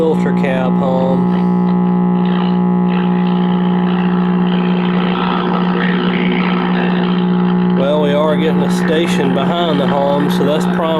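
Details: 1952 RCA 1X52 five-tube AM radio before repair: loud steady low hum drowning a faint station and music, typical of dead filter capacitors.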